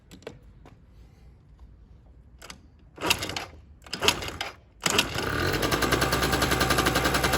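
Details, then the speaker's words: Keeway RY8 two-stroke scooter that would not start due to weak spark, after diagnosis and carburetor reconnection, running on old fuel: a few cranking clatters, then a fast even buzz; normal running. "Więc muszę go poskładać fajnie działa Nie spodziewałem się tego w sumie się spodziewałem"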